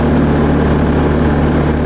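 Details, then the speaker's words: 90s Bobcat 763 C-series Hi-Flo skid steer whose BICS computer failed, leaving no lift/tilt; bypass wired to energize the master hydraulic valve solenoid. Deep, even diesel drone holds steady with auxiliary hydraulics on, no bogging; engine carries the load fine. "You don't hear anything. Come up here, get your auxiliary controls on. You now have hydraulics to your front connectors."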